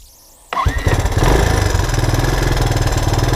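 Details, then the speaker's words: 1984 Honda ATC 200ES after carburetor cleaning, cold on choke: quick crank, fires within half a second and settles into a steady single-cylinder idle with no stumbling; idle needs raising slightly. "Sounds like I gotta tweak the idle up a little bit so the choke's on. Let me let it warm up."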